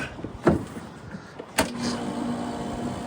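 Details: Compressor of an R22 AC system converted to MO99, freshly charged with 8 lb after the leaking liquid-line service valve was replaced; cold, windy day. A couple of sharp clunks, then a steady low hum as it starts; normal compressor startup.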